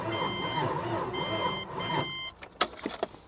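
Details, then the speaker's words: Vehicle at a salvage auction, jump-started from a booster pack: slow, uneven, dragging starter churn for about two seconds without catching, then a few clicks; labored cranking, no start, owner suspects the engine is seized. "Ooh, that sounds real bad. And it's not my booster pack. My booster pack has got juice."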